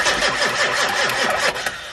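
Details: Turbocharged build after turbo mounting and a fix to an air leak at the pedestal: steady rhythmic cranking, a few turns a second, with no catch before stopping; cranks but won't start, batteries possibly low.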